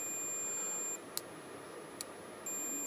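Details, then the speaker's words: Suzuki GSXR 1000 front brake light switch on multimeter continuity: steady high beep drops out about 1.5 s and returns cleanly; the switch, thought faulty, works fine. "but that does seem to be fine now a little bit more fluid in it"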